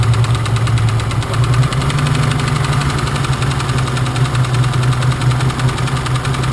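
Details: BMW engine idling with a fast, even knock. Cylinders are being disconnected one at a time to find which one knocks; the source is still unknown.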